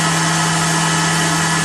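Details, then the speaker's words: Blower fitted to a BMW E39 electric-vehicle conversion, test-run: loud, steady roar with a firm low hum that never wavers or pulses; blower spinning evenly and healthy. "this thing is making noise it's sucking and blowing and see if the motor likes it"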